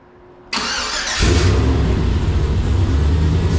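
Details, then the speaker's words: LS-swapped Jeep LJ V8 with freshly installed Holley Terminator, hot start after the swap: short crank, catches first try and settles into a steady, even rumble; normal start and idle before a shakedown run. "up first like first hot first try every time"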